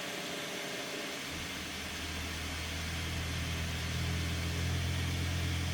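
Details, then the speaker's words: Bambu Lab A1 Combo 3D printer running its quick vibration compensation at print start; low hum firming into steady buzzing tones stepping up in pitch as the bed shakes; normal calibration. "Quick vibration compensation. It's actually giving me a little update there on the screen as to what it's doing."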